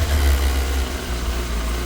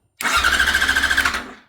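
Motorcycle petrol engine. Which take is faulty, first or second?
second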